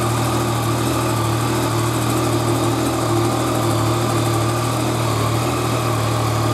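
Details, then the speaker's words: Yamaha FZ-09 motorcycle just fitted with a Lithium Iron Phosphate battery replacing lead acid, idling with charge voltage 14.2 V; steady, even idle with smooth low hum and no knocks, ticks or misses: healthy. "okay sitting here at idle the charge voltage 14.2 so that's pretty good"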